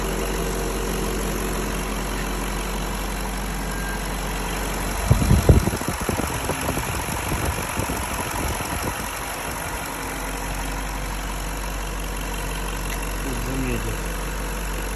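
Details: BMW M62B35 V8, fully warmed up, after reinstalling restored VANOS units correctly to cure a knock; steady low idle with brief handling clatter, smooth and even with no shake or tapping: normal idle.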